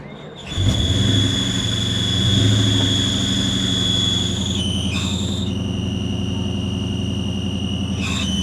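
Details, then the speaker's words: Modded SN95 Mustang GT V8, converted from automatic to manual: high steady squeal over a lumpy idle, changing pitch as the clutch is worked; clutch engaged fine, throwout bearing noise suspected. "That's the clutch. Oh, wow. That is the clutch."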